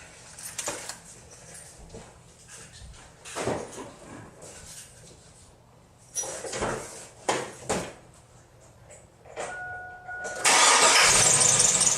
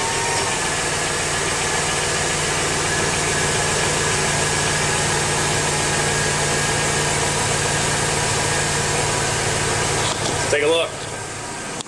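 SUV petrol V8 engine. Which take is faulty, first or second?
first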